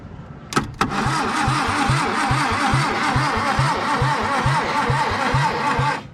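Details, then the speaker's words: 1962 Hillman Minx abandoned and parked for about 40 years: flammable fluid fed in with the carburetor off (it leaked vacuum), and the engine cranks steadily at about two turns a second for five seconds with no firing. Cranks but won't start; ignition and distributor are being checked. "no she ain't trying to hit even we got problems"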